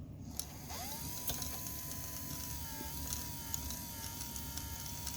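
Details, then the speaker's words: Sharp VC-489C VCR under repair, tape spooling after stop now improving; thin steady whine near 1 kHz over faint mechanical chatter: noisy tape transport motor. "it is getting better much better actually we wouldn't even spool the tape up after I hit stop and now it's it's getting pretty good noisy noisy motor though"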